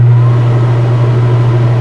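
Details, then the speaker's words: Newly replaced Dometic RV roof air conditioner tested in cold winter weather, fan set to high: loud steady low hum with constant air whoosh, no rattles or scraping; blower normal on high, likely too cold for compressor. "yep we have high fan now"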